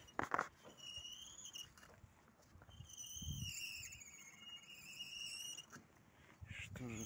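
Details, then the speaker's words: Lada Vesta front right wheel, raised on a jack and turning: thin, wavering high squeal rising and falling, also heard while driving without braking; caused by a displaced brake pad retaining spring rubbing the disc. "вот это вот пружинка куда вставляется колодки она мне по какой-то причине сместилась"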